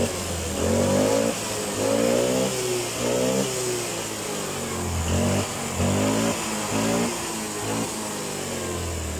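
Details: Spacy fuel-injected scooter after cleaning its clogged injector, which had caused sputtering and no power: repeated clean blips, revs rising and dropping smoothly about once a second with no stumble or hesitation.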